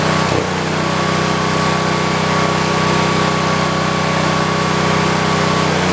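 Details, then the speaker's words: 1973 112 tractor, after new points, coil, condenser and carburetor and with a cut, dry-rotted plug wire: steady idle with a slightly uneven beat, milder miss than before, appearing only when the clutch is pushed; runs well without load. "It's still got the miss to it. It's not as bad. It's only when you push the clutch down."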